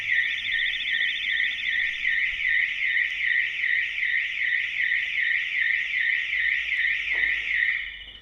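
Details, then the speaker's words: Ford Fiesta van with an Autowatch 695 alarm after an intrusion trigger: loud, steady warbling siren sweeping about 2.5 times a second, with an extra hidden interior siren and beacon activating 30 seconds after triggering; the alarm is operating normally. "And now the beacons are activated. If you poke your head inside, you better hear the other siren, but it's all loud, it's all very loud."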